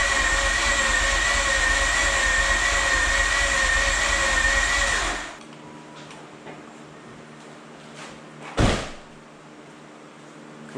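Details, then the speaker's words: Mazda RX-8 freshly rebuilt rotary, battery sounding a little low so jump pack used, fuel smell: about five seconds of fast steady cranking with whining drive, never fires; spark plugs found soaking wet; flooded engine, no start. "can smell the gas. Let's deflood and try again. Yeah, just taking a look at the spark plugs. They are soaking wet."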